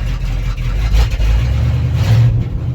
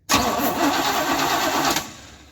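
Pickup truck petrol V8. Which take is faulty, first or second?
second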